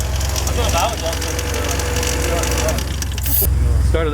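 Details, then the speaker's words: Honda B20 block with VTEC head swap, first start after install: lumpy uneven idle with irregular low thump never settling; bent valve suspected. "We're supposed to start it up and drive it off into the night, but that's not gonna happen. Seems we got a bent valve."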